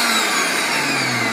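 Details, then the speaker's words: Kenwood MG510 meat grinder after replacing the stripped reduction gear: steady, high-pitched motor whir with a faint falling whine, turning well under load with no slipping, knocks or grinding. "работал и дальше даже когда я сдерживаю его под нагрузкой хорошего крутит ремонт закончен"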